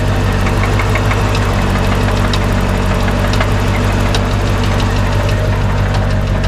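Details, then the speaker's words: Corvette C4, recorded hood open, suddenly damaged after hard driving, won't idle properly; sharp, uneven ticking knock about three a second from inside the engine, not a pulley or belt; cause unknown. "it's knocking like terribly and it doesn't want to idle anymore yeah it's knocking pretty good that's that's really sad"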